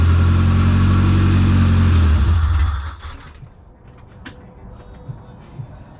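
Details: JDM Honda Civic EF2 with B18C Type R swap, converted to EFI on an OBD1 harness, first start: catches and revs briefly with a strong low drone, then shuts off; power steering cooler line not yet connected.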